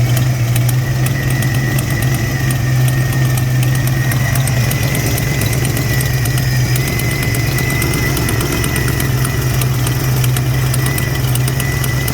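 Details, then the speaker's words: Supercharged 1991 Ford Mustang 5.0L LX: lumpy, uneven idle with a deep steady drone and a chuffing edge. Owner suspects a misfire plus an exhaust leak; moisture from the tailpipe, and oil later found milky; cause not confirmed. "man it sounds like a misfire in an exhaust leak you might not have much wrong with it"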